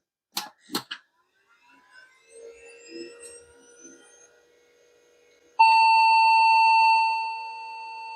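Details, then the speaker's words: Vintage e-waste PC, switched on after adding 256 MB RAM: two clicks, then one long continuous BIOS beep signalling a memory fault. The card will be moved to the next slot to tell a bad slot from bad memory. "okay we have a memory problem all right let's pop that card out I'm gonna move into the next slot see if it's just an issue with that particular slot or the memory"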